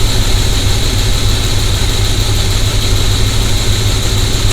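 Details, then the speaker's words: Mechanic's stethoscope screwdriver held to fuel injectors of a V8 with P0300 misfire, mic on the screwdriver end; cylinders one and three called bad, two and four good; steady deep idle with faint even ticking of an injector clicking normally. "so this is number one that's the bad cylinder now we're going to move to number two that's the get cylinder now go to number three bat cylinder and go to number four good cylinder"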